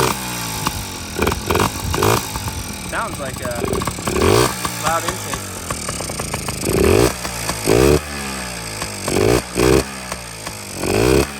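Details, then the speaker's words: Yamaha PW50 two-stroke with new top end, oil line not hooked up but running premix, intake not yet fitted; crisp ring-ding blipping up and down cleanly with loud hissy intake roar, running well. "Oil line is not hooked up, but it's got premix. Wow. Sounds good."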